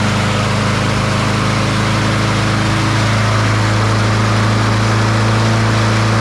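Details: Troy-Bilt TB200 push mower, Briggs & Stratton 550E 140cc engine, before service with dark oil: runs unevenly, speed surging then settling higher; rough running.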